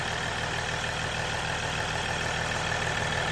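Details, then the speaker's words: 2022 Ram EcoDiesel 3.0 diesel with aFe intake, after installing aFe Power Blade Runner charge pipes: steady, even idle with faint turbo whistle over it, no knocks or misses; turbo heard a bit more, normal diesel idle. "from what I can hear sounds like you can hear the turbo a little bit more which is good any any more noise is"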